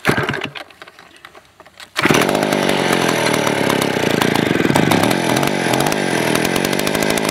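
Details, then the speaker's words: Vintage 1970s Stihl 041AV 61cc two-stroke chainsaw, sat a year with stuck rings: raspy, slightly uneven, lean-sounding low idle, and it died; owner suspects a sticky carburetor float or idle screw turned down too low. "that time it died on me cuz I guess the float got a bit sticky or else I just turn the idle down a little too low"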